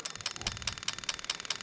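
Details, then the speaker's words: Lexus LS400 1996-97 V8 in an IS200 on a plug-and-play harness, injectors checked cylinder by cylinder: crisp even ticks about five a second, nothing else; the injector is firing normally. "let's go to number four clicking away let's go to number six clicking away and last but not least number eight and you can hear that clicking away"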